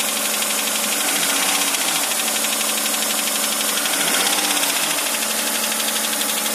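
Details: Hyundai Santa Fe 2.7, 2008, at steady idle with a sharp, fairly regular tapping about four times a second over the engine; an engine knock of undetermined cause.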